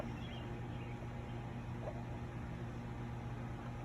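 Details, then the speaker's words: Motorguide Xi5 80 lb 24 V trolling motor after replacing a water-damaged, rusted control board, now linked to the foot pedal and running on speed 1: quiet, steady low hum with no grinding or cutting out. Normal running. "So all right, trolling motor is active."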